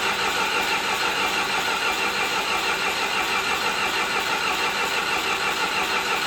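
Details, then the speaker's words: John Deere 450C bulldozer diesel, sat about 6 months, reassembled, in neutral with a little throttle: starter turns it over in an even churning rhythm but it never fires. "Now let's try it one more time. All right, something is not right."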